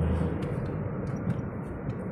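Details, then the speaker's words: Daihatsu Sigra after its late 20,000 km service, road test under hard acceleration; deep, even engine drone pulling smoothly with no knocks, whines or rattles; pull feels good: normal acceleration. "nah ini saya coba tes ngebut nih tarikannya udah enak"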